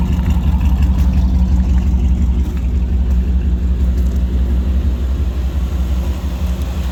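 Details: 2000 Chevy Tahoe Vortec 350 V8 after fixing corrosion-caused crossfire in distributor cap: deep, even idle burble with steady beat and no misses, ticks or stumbles; running smoothly.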